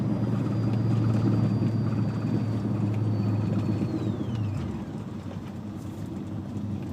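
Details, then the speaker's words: BMW M5 with Billy Boat exhaust, recorded inside cabin with windows up while revs drop from about 5,000 rpm: thin high whine sliding down in pitch over cabin noise; audio-system whine from phone plugged in, alternator ground noise. "the whine you're hearing, if you hear it, is because I have my phone plugged in, and that's the ground from the alternator."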